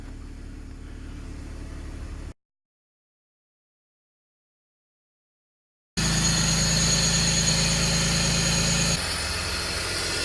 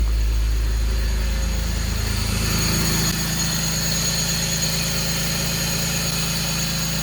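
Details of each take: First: BMW 325i E46 inline six after vacuum line, boot and DISA valve work for P0174 intake leak; idles smoothly, steady with a slight speed drop midway, no stumbling or hunting; running good. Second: BMW 325i E46 with code P0174, after replacing the vacuum hoses and the DISA valve O-ring: steady idle with a thin constant hiss, a suspected intake leak still at the DISA valve; the O-ring may need more oiling.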